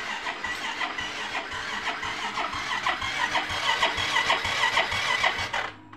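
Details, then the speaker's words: Yamaha Mio M3 scooter, battery and horn normal: on the electric starter the engine spins only weakly for about five seconds and won't start, yet it fires on one kick. The owner suspects a compression leak. "tadi Ketika saya saya coba elektrik startnya dengarkan sangat-sangat loyal sekali ya teman-teman Ya seperti ada kebocoran komprens"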